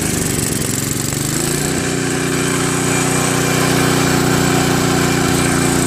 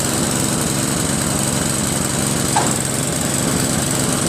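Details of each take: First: Craftsman 522 snowblower with Tecumseh engine, sat for years: engine runs rough on full choke, then steadier at 3/4 choke. It stalls with choke at middle and falters when throttled up; dirty carburetor starving fuel off choke. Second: Craftsman 522 snowblower with Tecumseh engine, after tightening the auger belt/cable. The small engine buzzes steadily under load with no slipping or squeal, and the auger takes drive immediately. Normal auger engagement.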